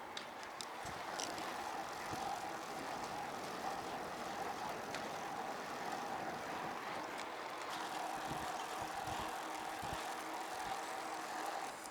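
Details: Carrera Fury 1x mountain bike riding on tarmac in a low gear with cross-chained chain: only soft tyre hum and faint chain whirr, no clatter or grinding; the drivetrain runs quietly.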